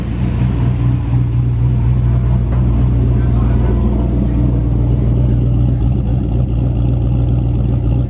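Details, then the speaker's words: Turbo 5.3 V8 Colorado first start-up after one-day rebuild for knock; deep steady idle rumble, squeaky belt quieting down, no rhythmic knock; normal idle, bottom end sounds healthy. "Alright y'all, as you can hear, we got the truck started up. He actually started it up off camera. I don't know what the hell he was thinking, but it's quieting down. It sounds good, so I think we're good."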